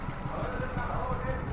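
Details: Nissan Grand Livina four-cylinder with a limping, misfiring engine, ignition coils unplugged one at a time while RPM is watched: low, uneven idle with lumpy pulses as one cylinder drops out; cause found to be a leaking coil, number 4.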